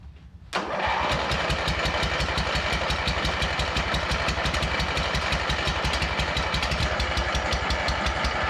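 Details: Abandoned MTD mower twin engine, new head gasket on one side and spare spark plug: sharp pops in a fast uneven train, about three a second, never settling into a run; no-start traced to sheared flywheel key throwing timing off.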